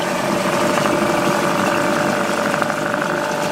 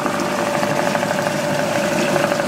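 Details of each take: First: Small two-stroke outboard, sat many years, running in water before warming up: steady idle with splashing water, settling into an even beat and clearing up; normal idle. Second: Small two-stroke outboard, unused for many years, run in a water barrel after fresh two-stroke oil and fuel; one spark plug suspected split: steady buzzy run with a slightly uneven, lumpy beat that is starting to clear up; rough running.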